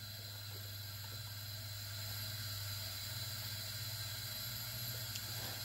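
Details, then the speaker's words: Honda Prelude H22 2.2L spare engine (new timing belt, tensioner, balance belt), cylinder 1 OTC leakdown test: 60 psi applied holding only about 10 psi; steady hiss of escaping air over low compressor hum, leak heard at intake, exhaust okay; excessive cylinder leakage. "go 60 psi and it's only like then psi holding now we can listen to where the air comes coming from the compressor is gonna turn on here"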